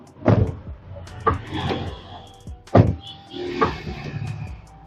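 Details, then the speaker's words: Damaged car door before fitting a rubber door damper: four heavy, sharp, harsh clunks in about five seconds as the door shuts, very loud with no cushioning at the latch. "Suaranya sangat keras, teman-teman, saat kita menutupnya. Lihat, memang sekejam itu."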